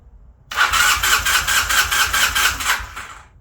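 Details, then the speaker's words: 1981 Honda CM400, sitting since 2000, after swapping the failed ignition coil for a known good one: starter chugs quickly and evenly for about 2.5 seconds but never catches; still weak, intermittent spark, corroded flywheel pickup contacts. No-start. "Still intermittent spark. Interesting. Why do you have weak spark? Alright, so now we're going to pull the flywheel side off and see what we see. We're expecting to see a rusty flywheel since we're still getting weak spark."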